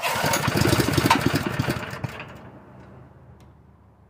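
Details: Portable air compressor's small single-cylinder gasoline engine (Predator 212 replacing a Honda GX160) converted to propane with a cheap regulator: catches, fires in rapid pops, runs briefly then settles; starts and runs on propane.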